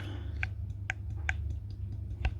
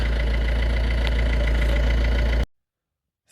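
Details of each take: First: Ford Fiesta 1.4 TDCi removed turbocharger, car smoking white with oil-filled intake pipes: sharp dry clicks as the shaft is rocked by hand forward-back and side to side; quite a lot of play, worn turbo bearings. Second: Ford Fiesta 1.4 TDCi after turbo replacement (old turbo had shaft play, oily intake, white smoke): steady, even diesel clatter at idle with no misses or knocks, then shutoff. Healthy.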